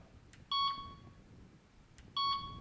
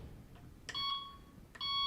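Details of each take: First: Delkim Txi-D v2 bite alarm tone selection: two short clear high beeps about 1.6 seconds apart, each with a faint click, the selected tone playing normally. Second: Delkim Txi-D v2 bite alarm: two short, bright, high double-pitched beeps about a second apart from single line taps, which the alarm's filter setting can be set to ignore unless activation lasts about 4 seconds.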